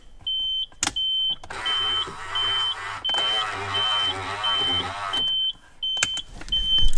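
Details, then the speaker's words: Nissan 240SX S14 (RB25) with newly installed JDM Ganador power mirrors, glass not yet fitted, working after the two black wires were swapped. Steady low motor whir for about three seconds between chime beeps, smooth travel with no grinding or clicking. "now I still don't put the glass in you hear that that's the mirror working"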